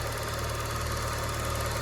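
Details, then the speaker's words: Used car cold-started in the morning, no throttle applied: smooth even low idle with steady beat, no knocks or misses; engine fine, oil not yet changed but at normal level. "Yuk ya, tanpa injek gas, tanpa apa, mesinnya oke ya."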